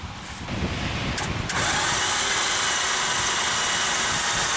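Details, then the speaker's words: 2010 Volkswagen Routan with 4.0L engine that quit on the highway: fast, light, even cranking whir with no firing and no compression rhythm, turning over far too freely; broken timing belt. "can hear that but it is turning over like crazy"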